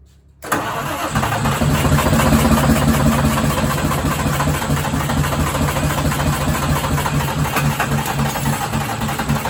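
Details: Detroit 6V92TA turbo diesel in a 1959 Plymouth Belvedere, starting unexpectedly with one injector still missing and a board over the turbo intake: cranks briefly, then catches into a low, lumpy, uneven idle with an irregular beat.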